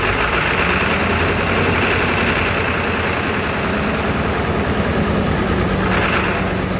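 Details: 7.3L Powerstroke diesel started with ether. It clatters roughly with an uneven lumpy beat and irregular knocks; injector 4 was later found with a damaged tip.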